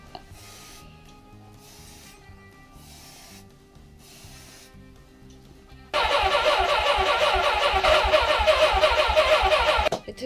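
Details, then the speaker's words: Suzuki GS550 barn-find motorcycle, off the road almost 20 years: steady starter cranking about three beats a second, then a louder spell as it nearly catches and quits; carb slides seized, carbs need cleaning, tank fuel very old. "sound like it wanted to do there for a we second didn't like you said them cabs them slides are solids"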